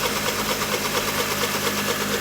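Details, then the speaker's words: 2002 Mercedes A-Class (19 years old) on ramp, idling while oil warms before adding engine oil conditioner: busy raspy idle with steady light knocking from bottom end; mechanic found crankshaft play, pulley checked with no play; crankshaft knock. "there you go that's the noise it's definitely not the police the police have been checked"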